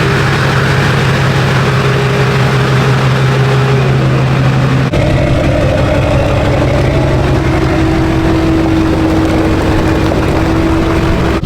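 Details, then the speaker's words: Duramax truck test drive after a repair with 75W90 synthetic in the rear end: steady engine drone, no squeal or clicking even in hard right turns; the destroyed part was the cause and is now fixed. "I've been driving it for a little bit now, and it's not squealing, it's not making a noise. Obviously that was the problem."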